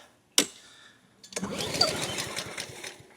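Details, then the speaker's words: Honda HRN216 mower with surging, after new carburetor, new fuel filter and tank cleaned, fuel just turned on: sharp pull, pause, then ragged two-second sputtering catch; hard starting as fuel works through, later starts after a few pulls. "Come on. Come on. Get some fuel in there. Come on now. Don't do me like this."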